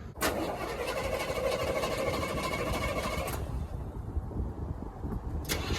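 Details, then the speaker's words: Chevy G30 RV after alternator swap, two spacers added: engine cranks and catches with thin steady squeal; pulley getting hot, new alternator pulley still well out of line, owner suspects shallower pulley dish. "well I don't exactly know why it's not lining up maybe the difference on the new alternator actually has a little bit shallower dish or something to it that the pulley is not lining up right it's definitely off by quite a bit"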